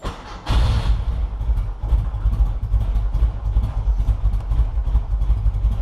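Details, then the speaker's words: VW Beetle cold start right after its battery was fully charged on a trickle charger: brief brisk crank, fires on the first or second try and settles to a steady thumping idle; normal cold start, battery found to be the culprit. "fires up on the first or second try rather than one why on the line for like two minutes to try and get it started"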